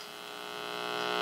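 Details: 1959 Westinghouse H673T5 dual-speaker AM tube radio (chassis V-2390-3, 35W4 rectifier), unused 35–40 years: steady low buzzing hum swelling as tubes warm, no program audible; dried-out ripple filter capacitors passing supply hum.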